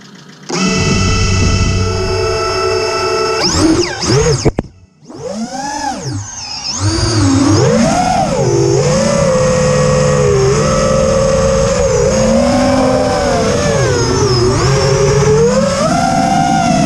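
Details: Quadcopter in flight on TBS Bulletproof 25A ESCs (signal cap removed), DShot 600, Betaflight 3.1.0-RC5, lowered stock PIDs: harsh warbling synth-like motor whine sweeping with throttle; persists after demag, timing and DShot 300 changes, cause unknown.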